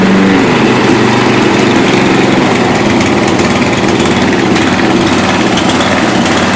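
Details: 1992 Yard King lawn tractor after seven years sitting, Seafoam added to fuel: small single-cylinder idle slowly rising and falling, hunting; owner suspects carburetor out of tune or valves needing adjustment, or cold engine.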